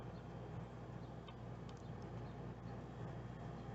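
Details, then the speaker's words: 1990 Chinook 18+ RV rooftop air conditioner on shore power, fan turned up, compressor kicking in: low, quiet, steady hum, no rattles or grinding; healthy unit, not too much noise. "it's really starting to go now don't turn it on to cool you'll hear it buckle down and the compressor turn on"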